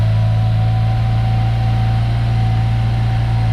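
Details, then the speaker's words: Yugo Sana GL running for the first time in over 20 years, after new spark plugs and a new fuel line. A smooth, even low idle with a steady hum and no misses or knocks. Normal running. "And there we go. First time in 20 years it's run. And it sounds fantastic."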